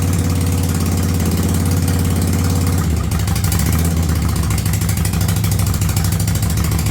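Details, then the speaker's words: 1985 Yamaha Virago V-twin with a single-carb conversion: steady low burble at about 1000 rpm with a light rev, even firing and no misses. It runs smoothly. "well she's up she runs she sounds good I got her dialed in at about a th000 RPMs"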